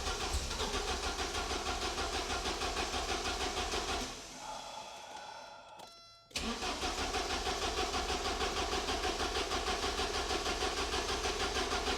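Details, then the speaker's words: 1986 Porsche 944 with a fried alarm system, after fitting jumpers 1-4 and 7-8 to bypass the control unit: even cranking at about three pulses a second, a pause, then more cranking. It fired briefly once but wouldn't start; crank no start, cause unknown. "God dang it it did that little fire and for a SPL Split Second I thought that was it I thought it was going to kick to life and uh it didn't"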